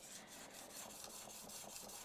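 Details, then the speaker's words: Plane blade honed on a cleaned diamond sharpening plate: even hissing rasp with no grit clicks after stray grit was cleaned off. "That sounds better."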